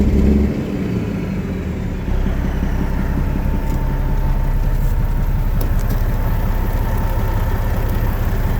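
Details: Detroit Diesel Series 60 12.7L running rough: a heavy, low diesel rumble with an uneven, lumpy beat under a steady drone. Suspected bad injector or water in the fuel, unconfirmed.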